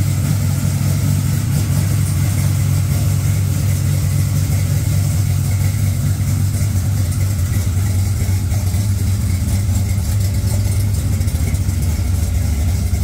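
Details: Engine started right after a dead battery (cause unknown, owner checked trans brake and line lock clicking): deep, steady idle rumble at even speed, no stumble or hunting; healthy idle.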